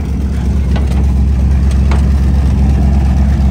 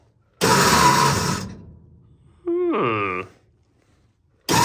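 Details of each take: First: Centurion ARV tank winch engine, freshly started after battery swap and cleaning: steady low-pitched engine beat, even unhurried firing, no knocks or misses; small petrol engine running cleanly, normal running. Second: Centurion ARV with replacement batteries, isolator switched on: the main engine cranks in two-to-three-second bursts with gaps between, turning but never firing. Cause found to be a start button pushed in and stuck, engaging the starter unintentionally.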